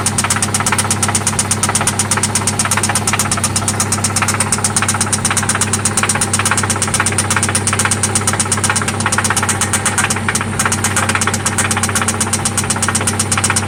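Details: 1995 Toyota Celica ST idling after an oil change and spark plug replacement: a loud, sharp, regular knock about three per second that stays steady over the idle; it seems to come from one spot, and its origin is unknown.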